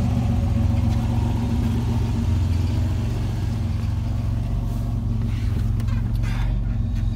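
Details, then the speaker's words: Pontiac Fiero GT running on its all-original factory dual exhaust with catalytic converter; deep, loud, even exhaust drone with no knocks or ticks, owner says it sounds like a lawnmower, loud from the factory; normal running. "I'll start it up real quick. Kind of sounds like a lawnmower to me."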